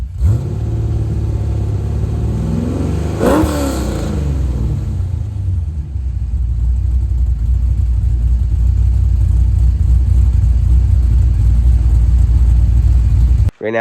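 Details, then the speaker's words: 1989 C4 Corvette with LS swap (LQ4), 2.5" dual pipes, after replacing 3" Flowmaster Flow FX with 2.25" Borla mufflers: V8 fires up, revs sharply once, settles to steady deep idle, quieter with no drone; normal V8 exhaust. "All right guys, so got the mufflers on. I think it sounds a lot better. It's quieter, it's not as loud. Obviously, it was the point of it, but you know, it has that, you know, nice crisp V8 sound still."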